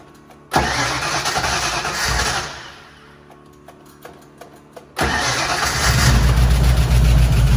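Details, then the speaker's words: 1977 Mustang Cobra II V8, bought as supposedly blown motor, first start: cranks and catches, falls quiet, restarts and settles into strong, even V8 idle with no knocking; sounds healthy. "I think we got a hell of a deal, boys. I'm so happy."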